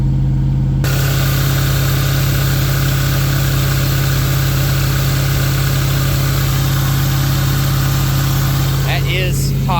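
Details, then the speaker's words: Land Rover engine held at about 2,000 rpm while coolant temperature reads 211–212 and still climbs (ongoing cooling issue): steady raised idle, even low drone, no ticking or knocking. "me running at 2,000 RPM probably isn't helping but it really I mean it should be able to maintain temperature with 2,000"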